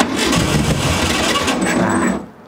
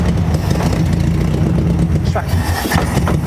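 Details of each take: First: 1968 Volkswagen Beetle barn find, sat over 20 years: steady starter churn about two seconds with rough uneven firing attempts, then stops without catching; runs on a later try. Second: Free 1968 Volkswagen Beetle air-cooled flat-four first started after sitting abandoned over 20 years: steady, even low chug with no knocks or misses, running cleanly; why it was parked unknown, maybe brakes.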